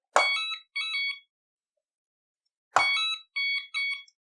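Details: Hoverboard scooter (Scooty R12) with blown capacitor and battery not charging, on power-up: sharp high beeps, one long then two short, repeating about every 2.5 seconds; refuses to run, fault warning, cause suspected not confirmed.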